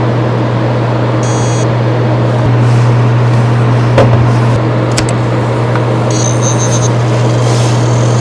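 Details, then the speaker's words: Hard drive at power-on: harsh continuous scraping hiss over a steady low hum, the read heads rubbing against the platters; head crash. "第4段最炸裂，这个声音明显是磁头和盘片已经发生了摩擦。"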